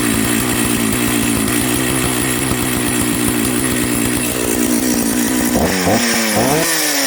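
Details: Old Jonsered 930 project chainsaw restarted at high idle: crisp, steady two-stroke firing with a few quick blips near the end, and it keeps running. The owner suspects a spark plug issue, and the bearing underneath is dry.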